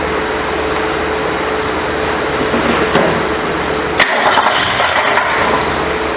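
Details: 1967 Ford Mustang coupe that sat 22 to 23 years, fuel primed and new throttle spring fitted: steady starter churning about four beats a second with a brief catch near the end, but never fires; cranks but does not start.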